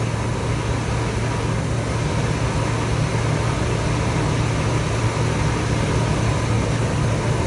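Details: 1978 Chevrolet Corvette V8, last on the road 2012, at idle in first minutes with 50 psi oil pressure: loud deep rumble with a slightly lumpy beat; misfire at idle, suspected plug(s) or plug wire; blue exhaust smoke.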